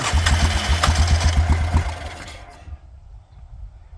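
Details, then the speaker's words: Yamaha Grizzly 600 ATV just fitted with a cheap replacement Chinese carburetor, throttle cable unhooked, dripping fuel: engine catches and chugs about four uneven beats a second, then fades; rough running, carb believed not tuned right. "Not bad, considering the Chinese special. Let's give it some throttle. If I can. Oh, yeah, good. It's running like shit already. Alright. Okay. I got the China carb on. Yeah, it's definitely not tuned right."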